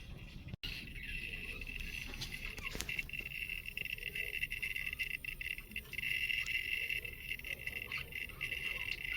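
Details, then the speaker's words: Redmond RM-2302D microwave running with steady high hum and irregular scraping, grinding noises from inside; it still works and heats, owner unhappy with the noise. "Внутри слышен скрежет. Какое-то измельчение."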